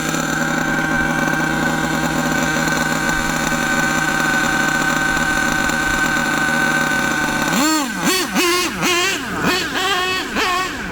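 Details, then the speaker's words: HPI Savage nitro RC truck with an LRP ZR32 engine, high-speed needle set after a too-lean test: steady high buzz that blips up and drops back cleanly; mixture about right. "That high-speed needle, in my opinion, is pretty good now. Once we get the high speed pretty much where we want it, we can start turning the low-speed needle little bits at a time."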